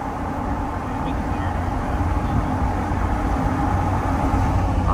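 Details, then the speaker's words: Pickup after 4.56 gear install with fresh rear-end oil, on acceleration: steady tire roar and road rumble with no gear whine or howl; rear differential quiet. "i don't hear any noises it's not howling or nothing on excel anyway"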